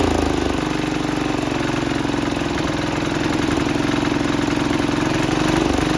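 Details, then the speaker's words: 1968 Sears Suburban 12 single-cylinder diesel at steady idle, first run after new intake and exhaust and fixing an air-sucking fuel line leak: harsh, very loud clatter; open intake and short exhaust. "she runs but oh my goodness is this thing loud it is loud it is very loud"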